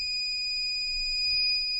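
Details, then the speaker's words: Nissan Micra K12, radio removed, multimeter on front speaker wire: steady high-pitched continuity tone for two seconds, wire intact, fault not in cabling. "we put one side here and the other on the red and you can hear okay it's making noise"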